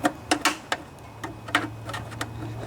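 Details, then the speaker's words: Snapper SR1028 rear-engine riding mower with Briggs & Stratton flathead, engine seemed locked up: irregular sharp ticks and scrapes turning over slowly as the flywheel fan catches on a bent flywheel cover, even after pushing it back down. "all right so i screwed it up there but at least it's not poking out above anymore now let's see if this is still locked up oh yeah we're still catching them"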